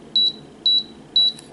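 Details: Canon EOS Rebel S 35mm film SLR body in self-timer countdown mode: crisp high beeps about twice a second, then a shutter click at the end; the self-timer counts down and fires as it should.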